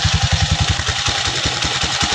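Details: Rusi 175 motorcycle after repair of a rattle: idles with a steady, even low putter and no clatter or knocking.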